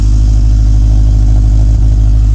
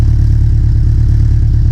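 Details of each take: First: Big-turbo Subaru Legacy first start, warming up at idle: loud deep idle with fast even puffing from an exhaust leak, suspected turbo V-band flange not seated correctly. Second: Big-turbo Subaru Legacy first start, warming up before tuning, after vacuum line installed: smooth, even, quiet low idle with steady rhythm and no ticks, puffs or rasp; exhaust has no resonator; engine sounds healthy and sealed.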